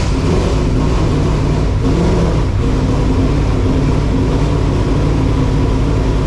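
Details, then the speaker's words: Freshly rebuilt race car V8 first start in a cold garage after rebuild; loud, steady idle running a touch fast but even, no misses or knocks; exhaust possibly rattling slightly. "well it runs sounds good um mind minding the exhaust might be rattling a little bit"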